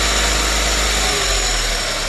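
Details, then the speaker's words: Renault 5 small carburettor engine after fitting new parts, cold and warming up, choke coming off: steady even idle with hissy intake rush, no knocks or misses; normal cold idle. "that's the choke coming off. That's the choke now."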